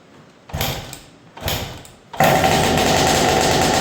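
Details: 2000 Honda CR125 two-stroke, first start after top end and carb rebuild, running on fuel syringed into the carburetor: two kicks with short coughing bursts, then it catches and holds a steady crackly buzz; healthy start.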